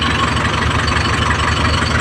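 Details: Isuzu 4JH1 Euro4 diesel after repair, including injector work; it used to die when running off throttle. Steady, even idle with a smooth low rumble, no stumbling or misses; it now holds idle without stalling.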